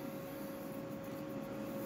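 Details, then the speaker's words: Gaming PC with an upgraded AIO liquid cooler, radiator fans running nonstop at about 1930 rpm: a steady mid-pitched hum with airy rush and no rises or dips; the noise is suspected to come from the PC Cooler fans. "if you can kind of hear it is a bit noisy but I think that's the PC cooler fans"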